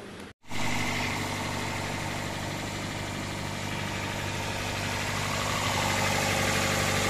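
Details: Toyota Corolla engine idling, from a throttle-body cleaning fix for low RPM (Corolla idle stated as 600–800 RPM): smooth, steady idle with an even low rumble, no dips or hunting, settling at a stable speed; normal idle.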